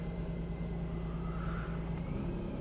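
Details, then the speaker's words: Mercedes C300 at 267,000 miles, after cleaning and re-gapping spark plugs for a cylinder 3 and 5 misfire: low even idle hum with steady pitch, no stumbles; check engine light out, engine idling smoothly. "See, sometimes the check engine light, okay, check engine light's out. Just running smooth as can be."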